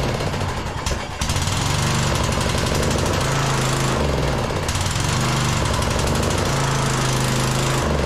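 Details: Briggs & Stratton engine on Troy-Bilt Bronco lawn tractor in cold snowy weather, after carb cleaning, muffler fix and new spark plug: rough, uneven single-cylinder thump with revs dipping and recovering; runs better but only on choke, fuel suspected.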